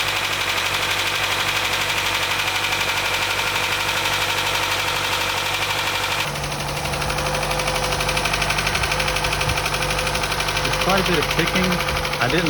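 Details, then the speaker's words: 2012 Chevrolet Cruze 1.4L turbo after head gasket repair, first start with dry oil filter housing and lifters not pre-oiled: fast even ticking near four a second with light rattle; expected to fade after one or two heat cycles. "but that noise should go away after a few minutes maybe one or two heat Cycles even and the initial noise on Startup"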